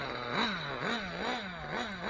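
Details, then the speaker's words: Nitro RC car engine: idle pitch rises and sags about twice a second, hunting then stalling; idle needle pushed in too far, not allowing enough air-fuel mixture. "my eying pin is so low you know it's pushed in and it's not allowing enough um mixture of air and gas"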